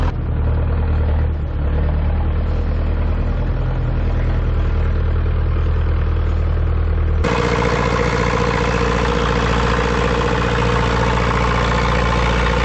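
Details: Ford 2701E 240 CI 4-cylinder diesel grapple log loader, first run after sitting 15 years: steady, even low diesel chug with no misses or knocks, brightening slightly near the end; normal idle.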